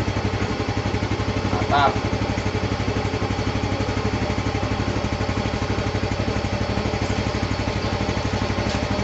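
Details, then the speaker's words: Yamaha Mio 125 FI that sputtered and lost power after full throttle at low revs: after the leaking fuel pump pressure-relief valve was propped with a valve spring cap, steady even low idle with no stumbling; running normally. "sudah kembali normal, teman-teman. Setelah dipasangi tali atau ditopang dengan pegas seperti sebelumnya, teman-teman."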